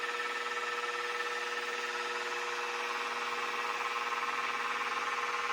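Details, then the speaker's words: Mini mill after belt drive kit upgrade, running in low gear (up to about 1100 rpm): quiet even hum with steady high tones, no gear grinding, clunking or clacking, lever rubbing noise gone; normal belt drive running. "Man, that's quiet. I can barely hear it. We're in low gear right now. That is so much quieter. No more of that gear grinding, clunking, clacking."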